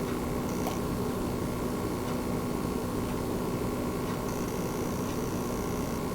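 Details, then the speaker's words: Newer-revision base PS5 running the PS4 game Gems of War at temperatures in the high 40s, heard from right on top of the console. Only a soft, steady airy hiss with a faint low hum, no rattle or whine: the fan is running normally and very quietly. "right so again very very quiet indeed just the very slightest fan sound I can hear but I'm literally sitting right on top of the PlayStation 5 right now"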